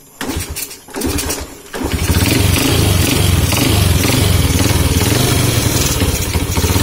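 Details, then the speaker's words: Honda C70 motorcycle with dusty, unserviced carburetor, piston crown bump flattened and cut down about 0.2: after a few cranking bursts it catches and idles with an uneven tapping knock, roughly three or four a second; knock source still not found. "So aku masih sebenarnya kan Aku tak jumpa lagi tau masalah dia knocking tu. Tak dapat dikesan knocking dekat m"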